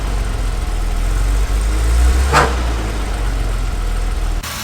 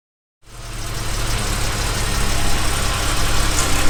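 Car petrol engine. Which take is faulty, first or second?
first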